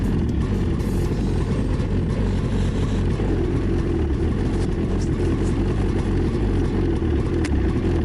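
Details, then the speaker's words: 2017 Ski-Doo Skandic 550 WT, 550cc two-stroke, new drive belt, cold start at -10 after a week unused: steady low idle with an even drone, no clunks or rattles; normal cold idle. "Not been started for a week, so you'll have to see a cold start. It's -10 today."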